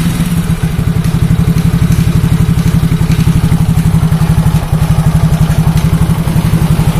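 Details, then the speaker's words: Yamaha Mio Soul GT scooter: low, uneven idle that struggles to settle, with stalling, heavy throttle and weak power. Caused by a leaking, cracked ISC sensor air hose and a cracked injector seal losing compression. "gasnya terasa berat banget loh pada mati sendiri susah langsam"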